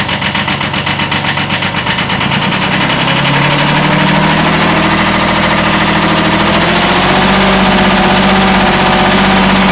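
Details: 1979 Kubota B7100 tractor with a swapped-in D950 diesel idling: a light, regular knock about four times a second, fading as revs rise, a slight rod knock.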